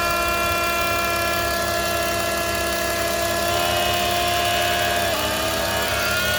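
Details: BMW E46 325i, noise that changes with vacuum: engine running with several thin whistling tones that step in pitch partway through. Intake whistle at idle; DISA valve or vacuum leak suspected, not confirmed.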